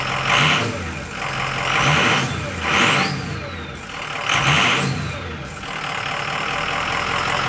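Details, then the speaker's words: 2005 Ford F-250 6.0 Powerstroke diesel with a new AFE Momentum dry-filter cold air intake and MBRP exhaust: several throttle blips rise smoothly and fall back to a steady idle with no knocks or rattles; sounds good, healthy. "Sounds good. Let's give it a little gas. Give it a little gas."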